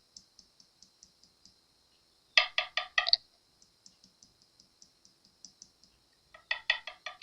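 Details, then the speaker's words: 1980s Fernandez Les Paul fretboard, unrepaired inlay on the side that has given the most trouble: light sharp ticks, then deeper hollow-sounding taps on one spot; loose fretboard inlay. "Especially on this side, right, facing towards me, is the one that's really given us trouble."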